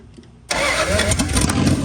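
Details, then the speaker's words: Dodge Dart V8 with brand-new fuel lines and fuel pump, gas poured into the carb bowls: starter churns the engine over steadily about a second and a half but it never catches; no leaks or kinks found, fuel pump suspected, unconfirmed. "No, if there's no leaks or anything back there, we're all good. Okay. I have a feeling it's the pump."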